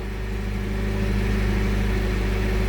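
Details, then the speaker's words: 7FGU32 with an erratic idle, potentiometer spliced into the RPM signal circuit: adding resistance drops voltage peaks from about 37 to 25 V, and the engine settles to a steady, even hum with no hunting; normal smooth idle. "Right, and as you can see, the idle smoothed out."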